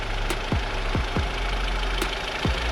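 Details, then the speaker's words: Audi TT turbo engine right after fitting a new performance intake and turbo inlet; low steady idle with quick, falling whooshy turbo chirps from the intake, which is normal induction noise. "That is exactly what I wanted. The turbo noise is back. We're back. Let's go. Yeah, that sounds way better."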